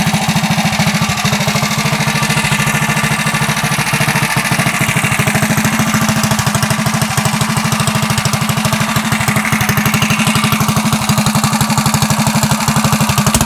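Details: Coleman CT100U mini bike small single-cylinder engine after a header upgrade with a new, larger muffler and ported jet: steady speed with even exhaust pulses and no knocks, much quieter than before.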